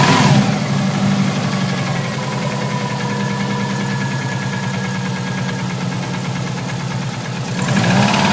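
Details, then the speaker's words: Subaru Impreza wagon, naturally aspirated engine mechanically tuned, likely overboosted 3–4 psi: cold idle with deep uneven knock about four times a second; sounds like rod knock or possibly bent rod, oil shooting from passenger-side bank; lower-end knock, unconfirmed. "so the noise sounds very bottom and it sounds like Rob knock or possibly even a bent rod"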